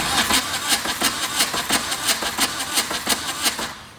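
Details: VW diesel-swapped Suzuki Samurai, glow plugs cycled, fuel shutoff and lift pump working, injectors opened: starter cranks steadily about three turns a second without firing; crank no start, owner suspects injector pump.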